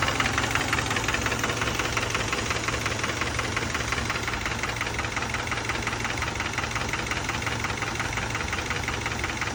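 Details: 2012 Subaru Outback petrol engine idling with a steady, rapid metallic knock over the run, swelling slightly near the end: engine knock.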